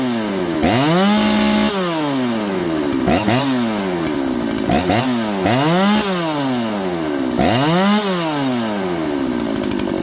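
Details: John Deere CS81 chainsaw being revived after leaking lots of gas: revs up cleanly, bogs slightly into each cut and recovers to full speed repeatedly, though the chain is dull; engine pulls and runs healthy.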